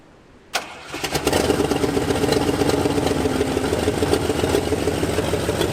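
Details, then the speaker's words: 1978 Jeep J20 with 360 V8, first start after sitting 15 years, fuel poured down carburetor: fires and struggles at lumpy uneven near-stalling idle, won't take throttle; carb stumble and stall, carb needs rebuild, no accelerator pump. "carburetor definitely needs a rebuild it's got no accelerator pump at all it just wants to die and I can't even feather the gas to get it to run enough"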